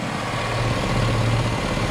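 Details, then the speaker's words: Engine-swapped short-bed truck idling while the cooling system is burped: a steady low idle with a faint rapid pulsing flutter. Owner suspects the EVAP purge valve or solenoid on top of the intake manifold. "can you hear it can you hear it I think it might have something to do with like the EVAP system the purge valve or something like that"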